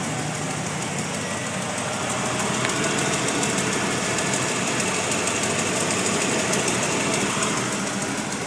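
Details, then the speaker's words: Newly rebuilt 351W in a 1993 Ford Bronco XLT, new headers and exhaust: fast light ticking about three per second at idle, heard on passenger side; exhaust, ignition, starter, PCV ruled out; owner suspects collapsed lifter or injector, unconfirmed. "That ticking on the driver's side is the injectors you hear. I've even thought that possibly it could have been an injector on the passenger side ticking, but I'm not sure."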